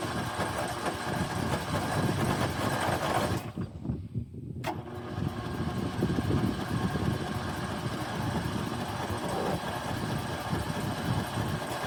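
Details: Snapper 150Z zero-turn mower, 20 hp, 42 in deck, sat about 5 years, dead battery on charger: steady chugging crank, pause, cranks again without catching; no-start, later ran on starting fluid.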